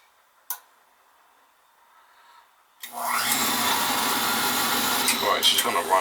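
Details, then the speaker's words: Old boiler's oil burner with the operating control jumped out: silence, a click after a short delay, then the burner motor and flame roar in with a rough, unsteady whirr. Air in the fuel pump needs purging. "wrong we just gotta Purge the pump Now The Purge the pump there's a little belay on it"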